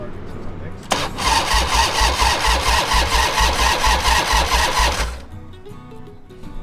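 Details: Harley-Davidson Fat Boy Evo 1340 V-twin after winter storage, carburetor cleaned: starter churns in even pulses about twice a second for four seconds without catching; hard start, owner feels it may be flooded, unconfirmed.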